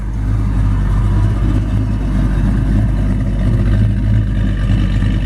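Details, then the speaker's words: 1940 Ford pickup resto rod, Ford-powered V8, idling as heard from outside the truck: deep, steady burble with an even beat and no misses or knocks; idle reads just right on the tachometer; normal idle. "tachometer down there it's idling just right we're going to get out we're going to let you hear it run"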